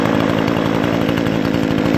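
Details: Brand-new Remington Outlaw RM4620 20-inch gas chainsaw (recall replacement), first start after priming and full choke: steady high buzzing two-stroke note at even speed without stumbles or misses; runs clean and healthy.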